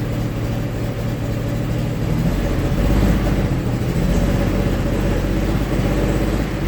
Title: GM 3800 Series 3 running rich and misfiring